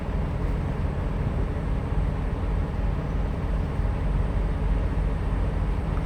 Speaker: So when you hold it and you hear the engine rev, then you know you let your engine do its regen. And normally that can take from 12 to 20 minutes.